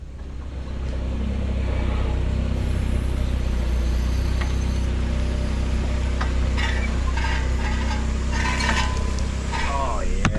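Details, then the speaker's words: 2008 Dodge Avenger, front left wheel: steady low rumbling drone with a few clunks; a wheel bearing or ball joint is suspected, and a front hub assembly replacement followed. "yeah that's that's sounds gnarly"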